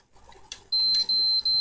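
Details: PS4 fat console that won't power on when plugged in, only occasionally flashing blue with the fan working: three long beeps with silence between. Repeated beep fault.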